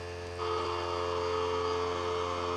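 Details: Harbor Freight Central Pneumatic pancake compressor (item 95275) after a repair for not building pressure, with a copper line fitting. Steady, even hum holds smoothly as the pump runs; gauge reading almost 20 psi and climbing, building pressure normally.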